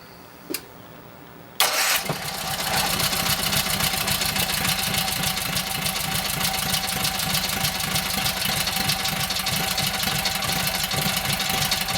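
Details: Kohler KT17 twin, rebuilt after lost governor, first start with fuel pump primed, mufflers on, oil pressure 50: short crank then catches into fast steady patter, no knocking; governor pulls throttle back, timing good, carburetor needs tweaking; normal running.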